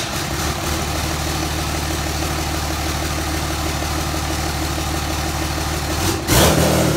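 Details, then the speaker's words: 5.9L Cummins common rail run on the shop floor on a stand-alone harness and ECM. Even, steady diesel clatter settles into a smooth idle with no misses or knocks, plus a short bump near the end. Normal idle. "i've got a wire that i just i'm going to send power to and the truck the motor will start and should sit here in idle"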